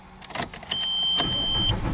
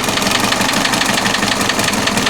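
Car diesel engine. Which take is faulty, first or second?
first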